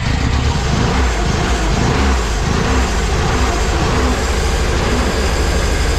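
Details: Pinzgauer idling after fuel pump replacement, first run in about 3 years: steady, throaty idle with a smooth even beat, no stumbling or misses; running normally.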